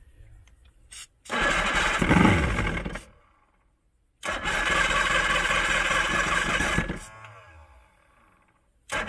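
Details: Old 90hp Johnson outboard on a 1987 Crestliner, sat about a year, fresh plugs, on starting spray with assist: ragged bursts cutting out between, uneven hunting firing; rough running, carbs and fuel lines to be cleaned.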